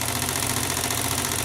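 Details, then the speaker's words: Old sewing machine after unseizing with oil, hand-spun then run slow 3 to 5 minutes, now at full speed; fast even buzzing whir, no belt slippage, catching or knocking, and the previously problematic front part spins freely. Normal running. "And as you can hear, no belt slippage. Everything is moving fine."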